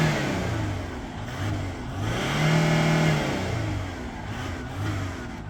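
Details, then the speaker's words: Warm 2011 Ford Territory 2.7L V6 turbo diesel, running after a dead in-tank lift pump was bypassed by bleeding air from the return line. Revs up cleanly and drops back smoothly several times, even note, no knock or stumble; normal revving. "It's not stone cold. Don't panic. It has been going. G6 diesels love a big rev."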